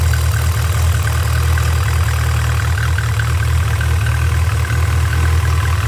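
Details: Nissan SR20DET idling: steady hum with a faint, quick repeating high chirp on top that stays constant with engine speed; source still being diagnosed, cause not confirmed.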